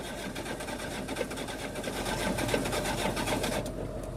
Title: The engine won't start.